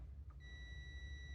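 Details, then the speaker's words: 1989 Ford F-350 7.3L IDI diesel glow plug system test: multimeter continuity check gives a steady high-pitched beep reading 3 ohms, showing the circuit was still grounding somewhere. "and we're squealing and we have3 ohms huh that was still making a ground somewhere"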